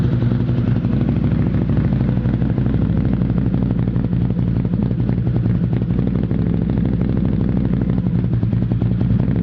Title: Outlander rough idle at cold start